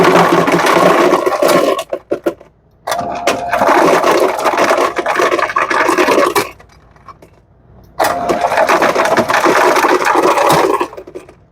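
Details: Lancer FS-30 fountain soda machine after repair of an ice chute that wouldn't shut off (control board clips pulled out, board leaning on chute wires): bursts of rattling ice and motor whir stopping cleanly between runs; door shuts normally.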